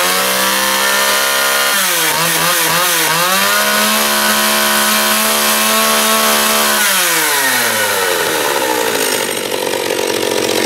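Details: John Deere EV45 chainsaw after carburetor rebuild with a new diaphragm, high-speed needle being adjusted: revs scream, sag toward conking out when set too lean, recover once opened up, then hold a clean steady pitch; running healthy.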